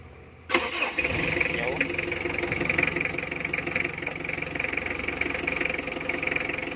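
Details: Mitsubishi L300 diesel with hard-start complaint, after fitting a new battery: short crank, catches at once and settles into steady even idle with no stumbling.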